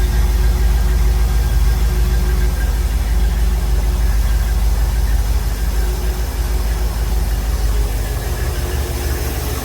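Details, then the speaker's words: Silverton 34C boat's GM marine engine idling while warming up, after a new reverse-rotation HEI distributor was installed and before the EST timing is set: deep, steady, even rumble with no misses or knocks; normal idle. "all right while I'm letting the engine warm up um you know I'm not I haven't done anything with the timing yet"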